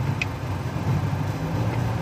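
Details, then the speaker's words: Sudden power loss while driving: revs jump, car shakes; uneven lumpy idle with low stumbling thumps; likely a misfiring cylinder, owner suspects coil or spark plugs. "и теперь прыгают обороты машины тресет как это как не знаешь что на ходу дела либо"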